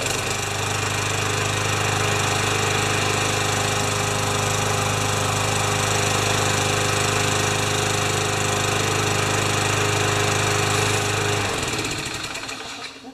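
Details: Craftsman 6.25 mower that smoked on starting and leaked oil out of the dipstick hole: loud, busy single-cylinder clatter at steady speed, then it cuts out; rough running, cause suspected, not confirmed.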